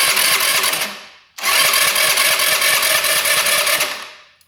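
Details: 2017 Tao Tao non-running scooter on electric start: two quick whirring cranking bursts with an even, light beat but no firing; it turns over without starting because an exhaust valve has zero clearance.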